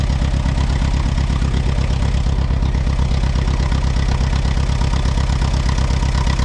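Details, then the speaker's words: Allis Chalmers WD tractor, sat about a year, first start: low, slow thumping idle about 167 beats a minute with slightly uneven pulse; owner suspects one cylinder missing, maybe moisture on a plug, cleared after moving. "it sounds like it might be missing on one cylinder oh we get to move it ahead anyway"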